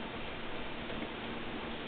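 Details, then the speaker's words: IBM RS/6000 during an AIX 5.1 graphical install: quiet, steady patter of light hard drive seek clicks over a faint hum. Normal drive activity while the install runs. "so no if you can hear the hard drive clicking away there"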